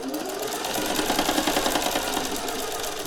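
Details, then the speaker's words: Singer 401A sewing machine from a thrift store, sewing after an earlier loud pop, machine not hot: about three and a half stitches a second with a faint, uneven knock inside each stroke. Internal knocking; owner hopes lubrication is all it needs. "Can hear just a little bit of a knocking going on inside the machine. Something needs to be lubricated. I'm hoping that's all it is."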